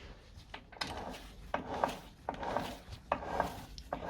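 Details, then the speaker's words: Ford Transit Connect manual gearbox that leaked out all its oil and ran dry, after popping out of 5th and hard to engage gears: rough gritty scraping in uneven bursts as the shaft is turned by hand, internals damaged with metal shards. "So this transmission has leaked out all its oil, so it was running dry, and yeah, that's the result."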